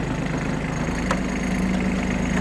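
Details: Kubota Aste A-13 mini tractor diesel, driving forward in the high range through first, second and third gears: steady low drone with no knocks, whine or grinding from the gearbox; normal running in gear.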